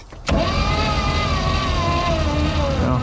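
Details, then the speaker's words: Caravelle boat engine, sitting since the 90s, cranking to build oil pressure: starter whine drags and sinks in pitch as it turns slowly; suspected weak Optima battery needing a charge, unconfirmed. "all right that sounded good I think my batter's not in great condition I've been"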